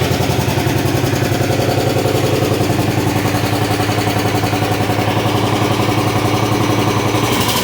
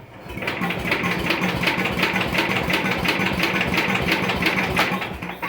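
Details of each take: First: 1973/74 MTD 990 hydro tractor, Briggs Big Block with rebuilt, retuned Flo-Jet carburetor (more jet added), burns some oil: small single thumps at a steady beat then settles smoother with no stumbles; running right, very quiet hydro. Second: 1973/74 MTD 990 Briggs Big Block engine after a Flo-Jet carburetor rebuild runs with a clattery, rough, uneven beat before cutting out. The carburetor is flooded and leaking fuel; the owner suspects the float is set too high and plans to fix it.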